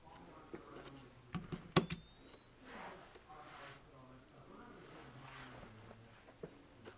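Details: Minolta Auto 132X flash, defective: fires by itself with a sharp pop without being touched, also when mounted on the camera, then a thin whine climbs in pitch as it recharges.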